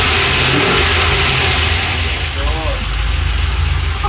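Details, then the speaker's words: Freshly rebuilt LS1 V8 with very choppy Crow cam in a 1978 C3 Corvette swap, idling after first start: choppy, uneven loping idle over a deep rumble; normal big-cam idle. "Check it out! And it's idling! Oh man. You hear that chop?"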